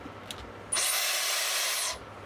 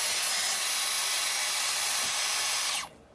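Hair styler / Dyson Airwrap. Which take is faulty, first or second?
first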